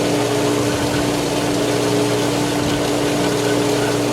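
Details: Polaris pool booster pump started with air in the line after the solar heater was emptied: steady hum under a loud even rushing hiss as it draws air and cavitates before catching prime.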